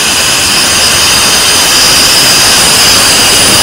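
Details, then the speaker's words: LPG stove regulator just fitted and locked onto a gas cylinder: continuous loud high-pitched hiss holding steady, then stopping abruptly; gas leaking at the regulator seal on the cylinder valve, possibly from a poor rubber seal, worn cylinder mouth or worn regulator. "ini regulatornya saya pasangan begini ini lalu kita kunci ini terjadi kebocoran teman-teman"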